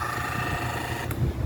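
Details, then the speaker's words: Portuguese: Mallory fan motor with a worn sleeve bushing (bucha): steady electric hum and faint whine as the motor barely turns under power and lacks force, though it spins easily by hand; the bushing is to be replaced. "Aqui você vê que ele rodando aqui, ó, facilmente, ó, mas tá fazendo barulho. Vou ligar para vocês aí, ó. Ó, mas não gira, ó. Ó, fazendo barulho, certo?"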